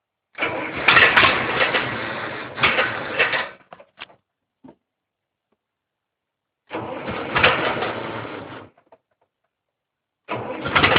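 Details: Case 770 gasoline tractor: three long cranking bursts with gaps between, engine never catches or fires; hard starting.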